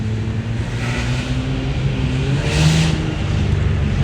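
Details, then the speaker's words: Nissan Maxima after tune-up for a misfire: engine pulls smoothly and evenly under acceleration over road noise, no stumbles, strong power; misfire fixed. "but the engine runs absolutely great no misfires feels like it has a ton of power"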